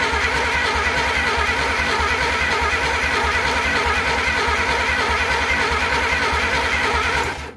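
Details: Replacement engine for 1947 Plymouth Special, sat since 1975, valves just unstuck: uneven stumbling beat with missing pulses that dies; plug wires put on in a different order, wrong firing order, spark still present at points.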